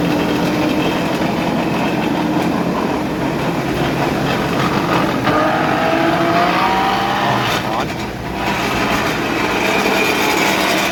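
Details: Chevrolet Colorado rear differential at about 80 with wheels spinning; steady howl rising with wheel speed, from worn ring and pinion teeth and a cracked pinion bearing; large and small bearings replaced.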